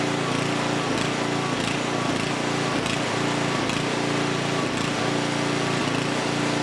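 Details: Huskee rear-tine rototiller abandoned by previous owner, after recoil repair, carb and fuel tank cleaning, running hot before oil change: loud, steady single-cylinder chatter at constant fast speed, firing evenly, no misses or knocks; engine is good, normal running.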